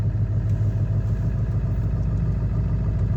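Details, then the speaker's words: Ford 7.3 Powerstroke diesel, manual, cold start at about 50°F without being plugged in. Glow plug relay was replaced and the glow plug harness reconnected inside the head. Lumpy, uneven idle clatter; starts easier but still not running perfectly. "definitely an easier start but not exactly what I would call perfect"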